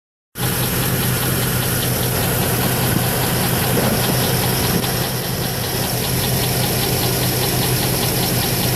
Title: 2008 Trailblazer SS engine knocking